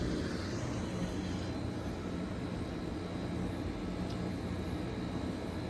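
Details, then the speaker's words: 1989 Friedrich Quietmaster SM10H10A 10,300 BTU 115V window air conditioner, likely unused since summer: steady even fan rush over a low compressor hum with faint high tone, refrigerant audible, cooling; runs smoothly and healthy. "It's running. It has something in it. I can hear the refrigerant. It's getting cold as well."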